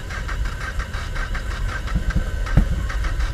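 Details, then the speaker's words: Honda Shadow 500 motorcycle, first start after 3-4 years in pieces, starter jumped, fuel on: uneven cranking with sputtering catches that don't hold; hard starting after long storage. "It's in neutral, at least according to the not connected shift thing it is. Oh, come on, she tried to fire right away."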